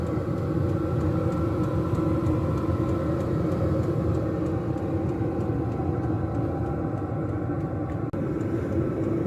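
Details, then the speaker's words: Diesel air heater in a box heating a house: even low exhaust roar, turbine fan whir and faint regular fuel-pump tick throughout; normal, healthy running. "have to admit when I first started my very first diesel heater up for the first time I was pretty nervous you hear the Roar from the uh the exhaust and the the turbine going around the ticking uh the heat coming out"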